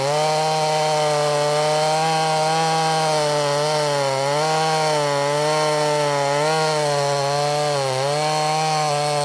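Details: Brand new, unbroken-in Wemars 6220 clone chainsaw, tuned leaner from rich factory setting: loud strong high note dipping briefly as chain bites wood, recovering quickly; normal healthy cutting under load.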